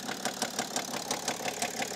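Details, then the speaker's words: 2008 BMW E65 730d diesel at idle with the drive belt removed: sharp, even knock about six per second, unchanged or maybe slightly better without the belt, so not the pulleys; owner suspects an engine bearing. "kind of sounds like we have a bearing issue okay so i thought i would take off the drive belt just to eliminate any of the pulleys being bad and as we can hear is pretty much still the exact same maybe it sounds a little better i don't know"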